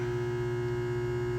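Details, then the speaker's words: Rapid 1000 A 9 V air-cooled filtered rectifier, 460 V 3-phase input, 22 input amps, 9 kW, remote control with digital meters, used, very good working condition: constant even low hum with steady buzz, no rattle or crackle; transformer running normally. "Unit is wired for 460 volt 3-phase, is in very good working condition."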